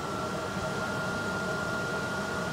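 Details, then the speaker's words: Truma Combi RV furnace in ventilation mode with no heat: steady, even airy rush from the blower with a faint constant tone and no ticks or rubbing; the fan runs normally. "and now you can you can hear the fans blowing oh if you can hear that or not but that's actually the furnace fan blowing but just in a ventilation mode there's no heat applied to it"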